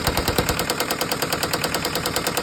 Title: Isuzu 4jb1 knocking sound